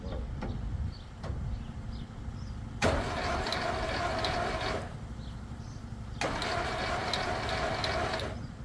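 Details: VW Beetle rat rod first-start attempt: two roughly two-second cranking bursts, laboured and slow, with no firing; spark is present but no oil pressure is shown.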